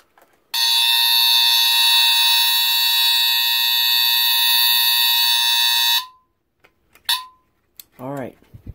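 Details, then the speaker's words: 1977 Honeywell TC49A1005 hardwired ionization smoke detector, tested with smoke: a piercing, steady high-pitched horn starts suddenly and holds over five seconds. It latches directly into alarm; normal alarm sound. "this one does latch directly into alarm like my childhood one and as I was as I was expecting that dealt alarm horn is very high-pitched"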